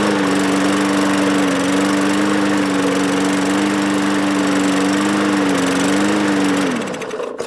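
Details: Bolens mower with Briggs engine, after a shot of starting fluid into the carburetor throat: picks up and runs steadily about seven seconds, then dies; carburetor then cleaned.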